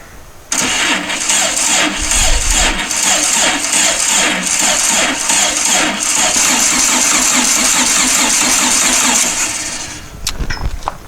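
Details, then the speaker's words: Dune buggy after new fuel pump pushrod installed, cranking off a booster pack with only 10 volts: slow, uneven chugging crank under three turns a second, starter labouring; slow cranking on weak booster pack. "but i only have 10 volts in my booster pack so you may not want to start with that"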